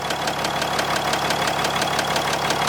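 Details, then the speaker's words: 4th gen dually diesel truck, warmed by driving around the block: sharp regular metallic knock about six times a second over steady idle, appearing only when warm; no blow-by, owner suspects valve lash or something loose. "there's a weird that weird knock and it didn't start until it got warmer"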